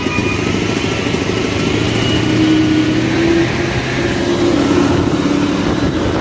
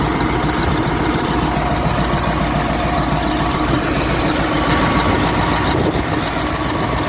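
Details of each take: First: Caterpillar 988F2 loader diesel after repairing broken cylinder 5 injector hold-down bolt and damaged injector seals (earlier black smoke, hard starting, knocking): steady, even idle without knocking or misfire, normal running. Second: Caterpillar 988F2 loader with hard starting, heavy black smoke and knocking: loud, uneven idle with rough knocking beat; cylinder 5 injector hold-down bolt broken, injector popped up, seals damaged, fuel leaking into exhaust.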